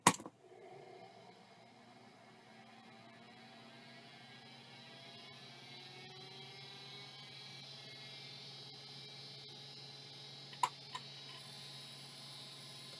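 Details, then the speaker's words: Vintage MR535 hard drive missing its face plate, on power-up: a whine climbs in pitch as it spins up and settles to a steady hum with a couple of head clicks. It sounds bad but matches a known-working MR535, and the drive works. "that one's working that SC in sounds bad but that's exactly what my other Mr 535 which works sounds like"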